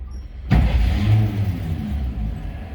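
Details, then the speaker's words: 1949 GMC 100 5-window pickup, six-cylinder, odometer 2,464 believed since restoration, hood open, foot-operated starter: brief crank, then catches and settles into a low, soft, even idle with no knocks or ticks; quiet, smooth, normal start. "And she's running. Nice and quiet and smoothly, I might add. You can hardly hear it."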